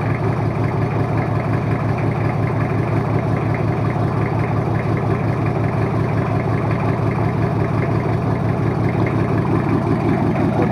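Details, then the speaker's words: Toyota Kijang 2L diesel, first start after an engine overhaul for low compression and abnormal noise: even, steady, low rhythmic idle with no tapping or misses; runs smooth, oil pressure up, no smoke, healthy. "hidup jalur untuk mesin2 airnya langsung segeng dan suaranya pun halus"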